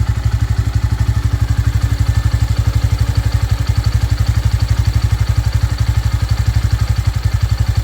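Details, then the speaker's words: Single-cylinder motorcycle idling after its 3rd service with Motul oil. Steady, even low thump at about four beats a second with no knocks or ticks; no different sound, runs very smoothly and healthy. "तो कुछ भी different sound नहीं आ रहा है, जैसा sound करती है ना वैसे ही कर रही है। कुछ भी इशू नहीं है, कोई दिक्कत नहीं है ना।"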